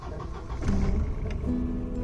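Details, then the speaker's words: Volvo 240 fuel pump, under the rear left, droning with ignition on and while driving: steady low hum; something on the pump's mount making contact, rubber mounts not isolating vibration. "écoutez quand je mets le contact on entend la pompe à essence elle fait un bruit archi merdique et on entend ce bruit en roulant c'est particulièrement chiant"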